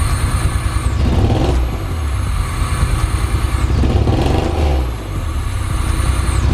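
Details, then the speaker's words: 1986 Pontiac Fiero GT (Ferrari F355 replica) running on 4–5-year-old fuel with no intake fitted: high thin whistle over engine roar rising with throttle blips and dropping on closing; intake whistle from missing air intake. "Like I was saying, it's gonna be whistling because there's no intake on it."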